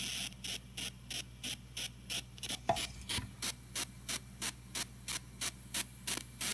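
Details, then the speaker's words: TG-TEK tablet headphone output while downloading, amplified through a laptop surround sound system: pulsing hiss bursts about three per second. It happens only with headphones plugged in while downloading or multitasking and stops, sometimes with a delay, when the download is cancelled. "so basically what I'm gonna do is I'm gonna download this and you'll hear a bunch of like weird hissing noises coming out of the speaker right here"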